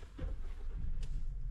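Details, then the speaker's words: 2015 Ford Transit idling after shop replaced injectors and PCM: deep, uneven, stumbling idle, RPM bouncing, fuel smell, codes for camshaft actuator A circuit open and misfires on 1, 5, 6; cause found to be VVT (P0013). "Okay. So it's missing like crazy. I don't know if you could tell in the video, but if you watch the RPM gauge, it's bouncing a little bit."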